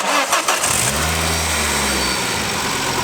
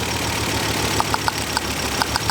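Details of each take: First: 2nd-gen Ford Focus ST idling after a known-good coil pack from a Focus RS was fitted: engine catches and settles into a smooth, even idle with no stumble or missing beat, sounding much better than before. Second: Mk2 Ford Focus ST idling with a misfire, coil packs unplugged one at a time: idle stumbles unevenly with sharp irregular ticks and pops, and changes at once as coils one and two are pulled, pointing to another coil pack.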